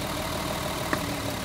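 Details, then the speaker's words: Mercedes 280 SE pulled from storage, missing and idling rough: with number six plug lead pulled the RPM drops and engine shakes, smoothing a little when plugged back; low lumpy idle rumble with a sharp clack; number two shows no drop, the dead cylinder. "okay that one dropped too look at it shake right there see that now as soon as I plug it back in it's going to smooth up a little bit"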